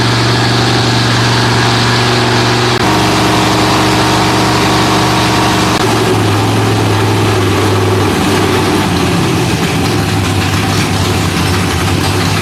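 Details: Freshly rebuilt Holden 308 V8 on a part chassis, first start after rebuild: loud, lumpy idle with a steady low burble around four pulses a second, holding even; engine running fine.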